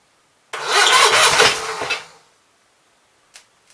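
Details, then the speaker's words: Onan B43 twin after new rings, battery charged overnight, fuel fed from a hand-held jug: about a second and a half of starter churning that fades without catching. Owner suspects juggling the jug, choke and throttle is half the problem. "Really need some way to hold this fuel jug up here and work the choke and the throttle at the same time. I think it's half my problem."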